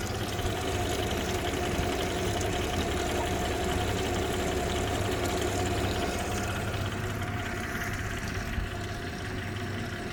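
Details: 2015 Suzuki DF250 outboard with 1600 hours, idling: steady knock about three beats a second over a low hum; cause unknown, owner asking what it could be.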